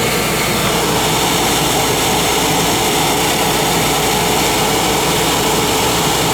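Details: Oil burner motor and pump run with the controller jumped out to flow oil during service; 3-year-old 1 gallon 70 nozzle burning clean. Loud, steady, even roar, no knocks or surging: burner motor running smoothly and healthy.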